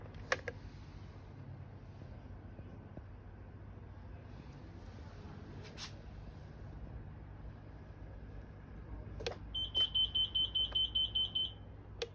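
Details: Pride Go Go Elite mobility scooter, battery indicator LED showing half charged, won't move when ridden and gives a quick train of high fault beeps instead of driving; cause not evident from the sound.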